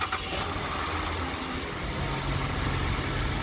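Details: 2013 Chevrolet Trailblazer after a crank-but-no-start diagnosis and repair, final check after starting: engine settles into a smooth, even idle with no misses or tapping and no warning lights; runs normally.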